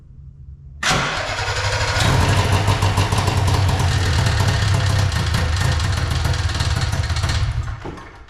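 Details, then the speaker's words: Arctic Cat Puma Deluxe 340 two-stroke snowmobile, sat about 10 years, plugs wet from priming, carb bowl filled: catches with a bang, runs roughly about six seconds then dies; owner suspects a fuel supply problem from the tank. "Well, that's a little something more than we had."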